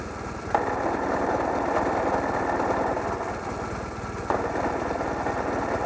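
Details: Running engine with fast, harsh metallic ticking close to four a second; something in the engine is clattering abnormally.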